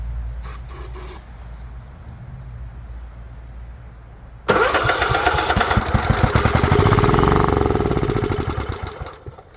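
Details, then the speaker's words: Goat-trampled Craftsman lawn tractor, 16.5 Kohler engine, restored tank, new fuel filter, little gas, fuel solenoid jumpered: few weak pops, catches, runs rough about five seconds and fades. "well I guess in that carburetors hey not happy or that solenoid's not opening up letting fuel in"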